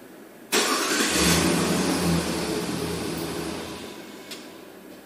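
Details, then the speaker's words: 2006 Jeep Grand Cherokee 4.7 with faulty TPS, transmission oil temp reading -2.8°F key on, engine off, then 117°F: it starts sharply, idles unevenly, then stalls by itself and won't restart. "just started installed all by itself and it's now 117 fahrenheit i did not shut it off it stalled [Music] and now it won't start wasn't that special hmm"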